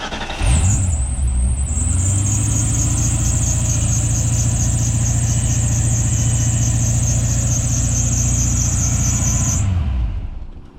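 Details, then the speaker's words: 1991 Ford Mustang Fox body barn find, second start attempt after fuel pump replacement: fires quickly and settles into a steady, even run with a constant low exhaust note and thin high whine, sounding healthy, no smoke. "Sounds good. Like sounds healthy. No smoking or nothing."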